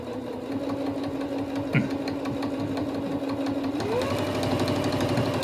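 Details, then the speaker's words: Singer One sewing machine during servicing, stitching material thicker than it is meant for: a fast stitching whir at about three stitches per second with faint tapping as the needle strikes the thick fabric. "Yeah, you can kind of hear it hitting. It's not real loud, but a little bit. It's really a little bit too thick for it."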